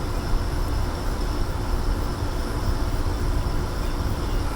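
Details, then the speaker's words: Very loud compressor on a curbside GE AEL05LQG1 5,050 BTU window air conditioner: a heavy, constant low drone and rush while it blows cold. Owner suspects a GMCC or Qingan compressor. "And it is blowing out freezing cold, but this one is disagreeably loud. That is a very, very noisy compressor."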